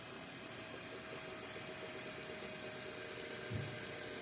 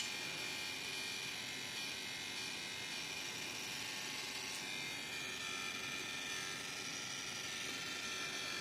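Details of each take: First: Deepcool LT720 AIO liquid cooler pump after repair, mounted on an i7-14700KF CPU: a quiet, steady hum with a faint constant tone and no chattering. Before the fix it crackled; air bled out, now runs normally. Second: Deepcool LT720 liquid cooler pump, shroud removed and connected to a computer, running: fast dry crackling chatter over a thin high hiss.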